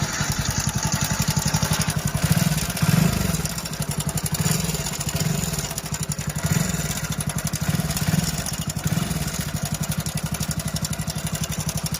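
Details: Hero Splendor Plus BS6 single-cylinder engine at idle: fast, even ticking rattle that rises and falls slightly; timing chain noise, fix is replacing the timing chain set.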